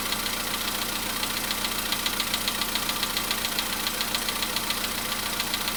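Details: VW Polo sedan, cold start at idle: a crisp, loud, regular ticking knock of roughly three and a half per second. The knock reportedly fades after about 4 minutes 40 seconds, near 55 degrees.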